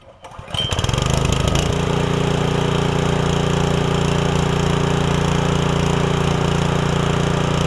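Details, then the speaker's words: Ryan Jr. sod cutter after replacing the blown cutter auger oil seal (part 548272) and refilling oil, engine starts after brief crank and runs steady with cutter engaged, rhythmic chop about three beats a second; no leak showing. "But I'm going to crank it up and at least engage the auger or the whatever you call it on this thing. See what happens."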